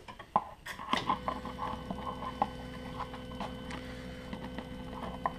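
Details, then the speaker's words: Burner fuel pump run via fuel bleed menu with fuel line disconnected, at maximum frequency: light, sharp ticks repeating quickly over faint hum, no gaps, steady drip, no air in line; pump working normally. "The pump is working well. It should run at maximum frequency and you should see a steady drip coming out of the fuel line."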